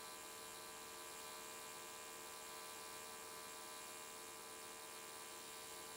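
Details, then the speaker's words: AC TIG welding aluminium Nissan S13 catch cans: harsh electrical buzz with a restless edge as the arc wanders all over the place, unstable, with the welder chasing a blow-out almost the whole way. "see how unstable that ark was it was wandering all over the place and i was chasing a blow out almost the whole way"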